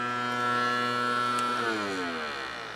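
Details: Samsung CD Master 52X (SE152L) CD drive: whirring whine climbs steadily in pitch as the disc comes up to speed, then tapers off; noisy spin-up, cause unclear.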